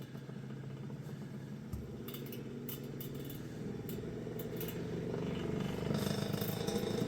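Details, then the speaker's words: Vintage Kenmore fan on its first power-up after purchase, running fast: motor hum climbs while it shakes with uneven rattles and clatter, then it quits vibrating and the weird noises stop once up to speed. "She's a shaker. They weren't lying about it running fast. There it goes. And once it gets up to speed, it quits vibrating and doing weird noises."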